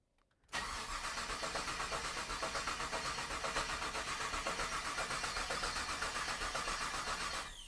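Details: Freshly built 1998 GMC Sierra, 13,341 miles: even starter churn about four beats a second for seven seconds, coils unplugged while priming oil; healthy cranking, oil and fuel pressure pegged.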